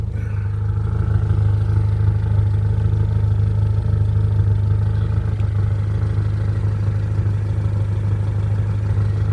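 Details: 1990-91 Honda Civic hatchback with HKS exhaust idling: steady, even low rumble with a smooth deep exhaust note and no ticking or puffing; quiet, sound exhaust with no leak.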